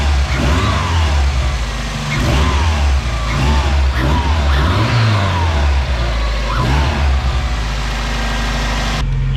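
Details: 1993 Mazda Miata 1.6L turbo after installing CX Racing V2 turbo manifold to replace cracked leaking manifold, bigger muffler; steady low idle then clean rev rises and falls, much quieter, no major exhaust leaks; normal idle and revving.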